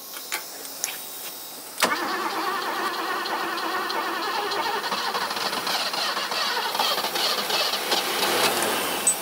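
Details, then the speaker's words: 1980s BMW E24 6-Series CSi, manual, parked since 2001, fuel pressure up to 2.5 bar. Faint ticks, then a sharp catch into a rough run that won't hold. It dies as soon as the key is released from crank; cause unknown. "oh my gosh okay yeah so it's immediately starting and stopping something not right as soon as you take it yeah as soon as you back the key off it's killing it"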